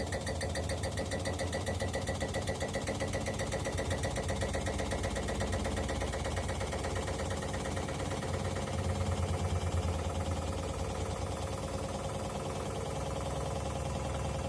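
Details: Bosch Maxx 5 washer on spin: fast, steady hammering knock with the whole machine shaking hard against its base; parts already replaced, bearing seemingly not whistling, cause unknown.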